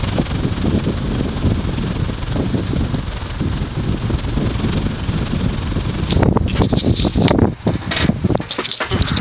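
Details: Casablanca Wailea ceiling fan from 2006 with wicker (rattan) blades, 153x20mm motor, 25-degree pitch, 31.25" span, on high: soft, steady whoosh like a natural breeze, air passing through the wicker, no ticking, rubbing or wobble; normal operation.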